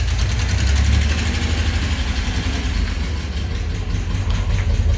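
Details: Old pickup truck with a V6 (called 304/305), which never had an exhaust before, now fitted with a hot-rod exhaust: a deep, steady, low burble at idle with no ticks, knocks or exhaust leaks. Normal idle, sounding like an old pickup should.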